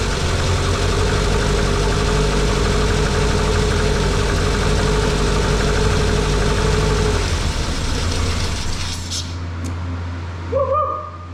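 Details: Lotus Elan petrol engine, after choke and throttle cable free play adjusted and airbox refitted, holds a smooth, even idle with a steady low drone for about seven seconds, then shuts off cleanly; normal, healthy idle.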